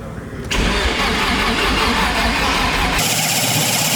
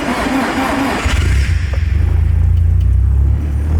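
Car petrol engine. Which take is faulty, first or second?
first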